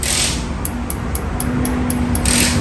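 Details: Ford Ranger 2.2 diesel that won't start, injectors previously repaired and SCV valve and lift pump already replaced: injector on the test bench ticks sharply about four times a second but cannot hold pressure, so it is faulty.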